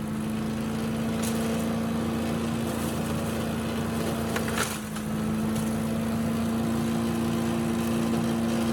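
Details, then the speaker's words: Salvaged Yard Machines chipper, Tecumseh engine, some water still in the oil, chipping brush: steady, even drone dipping briefly under a bite and recovering at once, handles leaves and small branches well; normal running under load. "so you can see it does a good job chipping up at least the small stuff it's really good at leaves and small small branches"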